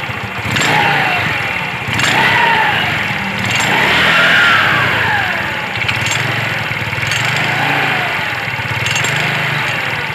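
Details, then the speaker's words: Yamaha Mio scooter: quiet when idling, but when revved a metallic jingling rattle rides over each rev, from the CVT. "Oke, ini kalau diem tidak masalah guys. Lalu pada saat kita gas begini, dia akan bunyi."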